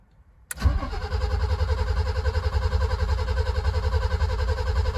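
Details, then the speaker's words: BMW E30 323i sitting over a year, radiator removed, fuel pump working and fuel smell present: strong even starter cranking about 3.5 turns per second with a good battery, but the engine never catches or fires; cranks but does not start. "Good battery. Doesn't sound very promising though. I can smell fuel."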